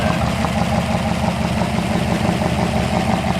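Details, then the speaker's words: 1964 Ford F250 dump truck engine idling after fuel pump work: rough chuffing clatter under the hood, about three pulses a second, like a tractor, though the exhaust is sealed; suspected blown exhaust crossover under the intake, not confirmed. "think your exhaust crossover under the intake might be blown. It sounds like a tractor up under the hood. You hear exhaust noise up under the hood like this."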